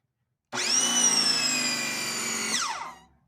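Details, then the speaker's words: Ryobi 2000 psi electric pressure washer, first power-on right after setup, before the jet nozzle is fitted: a high whining hum starts abruptly, holds about two seconds, then winds down. Abnormal motor noise, cause unclear. "uh oh that doesn't sound good maybe that's all it does"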